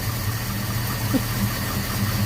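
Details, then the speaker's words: 1977 Ford Escort Mark 2 started after storage, with WD40 sprayed into spark plug holes: steady low idle, a bit rough but even, blowing a bit of smoke. "We'll just give it to her and see what happens. Eh, she's nearly a goer."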